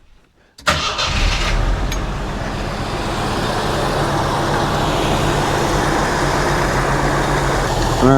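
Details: 1982 Jeep Scrambler, timing being checked at idle with timing light, spec thought about 6°, timing looks about right. Cranks, catches, settles into even idle with steady low firing, no misses or knocks; healthy.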